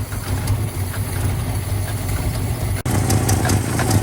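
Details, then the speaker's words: 1979 Chevy C10 half-ton inline-six, sat 8 years in a tow lot, idling after first start; low, uneven, lumpy idle that never settles, plump-plump coming in and out; missing on one or more cylinders; spark plugs to be checked. "Starting to run a little bit better, but man, it is missing out."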